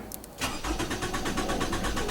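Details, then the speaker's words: 2011 Toyota RAV4 cranks but won't start, no fault codes: steady starter cranking at about six even beats a second, engine never fires; owner suspects crank position sensor or fuel pump, plans to replace the crank sensor. "so as y'all can hear my rav4 has more crank you can hear it trying to spin but it won't crank and that's what I'm going to fix tonight"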